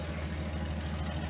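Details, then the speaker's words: Datsun 280ZX after new muffler install with resonator: low, even exhaust burble at steady idle with regular pulses, no rattles or leaks; slightly raspy on lift-off. "it's definitely in and already it sounds a lot better in my opinion"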